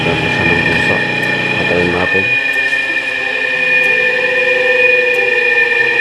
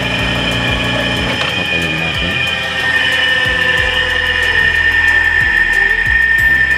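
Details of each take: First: Hard-starting electric motor after repair (gapped, pitted contact point cleaned, new capacitor installed): brief low rumble spinning up, then a steady, even high hum without stalling. Self-starts and runs properly. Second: Electric motor with hard starting, tested without its capacitor: steady electrical hum with no run-up, stalled until spun or nudged by hand; fitting a new capacitor should let it start on its own. Finding: hard starting.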